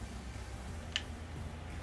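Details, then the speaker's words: Mastercool MCP44 evaporative cooler control board, plugged into the wall with nothing connected: a single sharp relay click over a low hum while the green light bounces around, showing the board is faulty. "you can hear clicking there's a clicking that's telling you that this is faulty"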